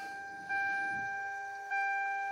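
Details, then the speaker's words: MK4 Toyota Supra with two fuel pumps powered by a Nexus R5 PDM, key on: steady high-pitched electric whine stepping louder twice as each pump kicks in, clean even prime with no rattle or surging; normal fuel pump priming. "It's already set up to prime, so when you kick it on, you can hear them both priming."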